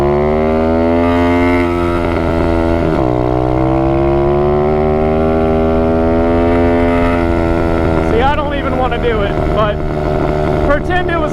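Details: Apollo 125RFZ single-cylinder quad held at high revs with buzzy, slightly wavering tone; engine suspected damaged after riders held wide-open throttle for miles in second or third gear, now running rough, carburetor also suspect.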